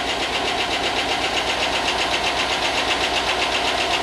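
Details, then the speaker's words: Chevy 5.3 LS from rusted Tahoe donor, first run after long sit and not running when bought: crisp even ticking about four per second at steady idle; owner hopes lifters pump up and noise goes away, good oil, cause unconfirmed. "Well, it hasn't run in a long time, so hopefully the lifters pump up and that noise goes away."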